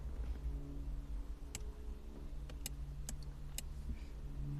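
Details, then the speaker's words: Audi TT Mk1 Cabriolet, roof down, wind deflector button pressed: a few sharp dry clicks from relay 604 under the dash over a faint hum, no motor whir; switch and relay working, deflector not moving, motor suspected dead. "okay so it's dead oh I can hear the relay clicking okay yeah it's it's under here it's relay 604 underneath the dash but I can definitely hear it clicking"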